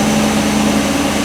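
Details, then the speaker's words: 2019 Chevy Express/GMC Savana just started after a serpentine belt replacement for belt or pulley squeal: a smooth, steady idle hum with no squeal or chirp; the new belt appears to have fixed it. "looks like the belt might have fixed it I'm hoping so issues pretty good so we're going to call that a win hopefully"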